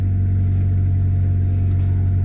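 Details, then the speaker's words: Mitsubishi Evo 6 (CP9A) started and running after a 340LPH E85 Quantum fuel pump install, with no fuel leaks: smooth, even, steady low drone with no misses, stumbles or odd noises. Healthy running on the new pump. "yeah no fuel leaks Felix [Music] sounds like it's working any other pump Klump is working cause started"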